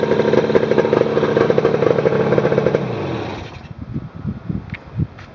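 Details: 1967 Yamaha YCS1c 180cc two-stroke motorcycle, modified engine, test fire after setting points timing with a dial gauge to 2.0mm BTDC (factory 1.8mm). Crisp, even crackle for about three seconds, then shut off: healthy and correctly timed.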